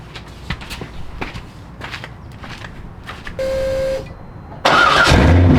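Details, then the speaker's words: C5 Corvette, car lifted, exhaust cut off before the mufflers: after clicks, V8 fires into a loud, raw, crackling unmuffled bark like open headers; too unrefined, to be bolted back up. "Just being totally honest, that's a little bit too much bark for what this is. Okay, so I don't really, it just didn't quite sound the way I'd liked. It sounded too unrefined, really."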